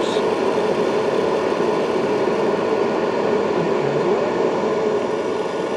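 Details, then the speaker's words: Cheap 12V battery charger that shocks users, 103V to ground on case and battery connectors: steady crackling sizzle like frying over the hum as current is turned up, as if internal electrical connections aren't happy. "you get a lovely sizzling sound like you've got a nice burger on the grill"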